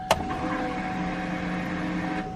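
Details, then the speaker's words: Turbo 5.3 V8 Chevy Colorado race truck (1000+ hp) after a one-day rebuild, just rewired: sharp click then steady buzzing whine for about two seconds that cuts off; electric fuel pump priming at key-on. "Listen at this fuel pump."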